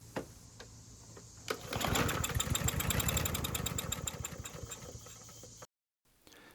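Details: Husqvarna mower with Briggs & Stratton 550EX engine, dirty carburetor suspected: pull-start clatter, then rapid uneven chugging about four beats a second that fades and dies; sputters and won't stay running before carb cleaning.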